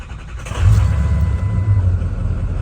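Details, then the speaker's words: 2003 Ford Excursion 6.0 Powerstroke diesel, first start after cleaning the fuel filter/water separator housing, key cycled to purge air: brief crank, catches quickly and settles into a steady even diesel rumble; normal start, may stall from air in system. "Fired up pretty easily. May stall out here in a minute when it gets air up into the system."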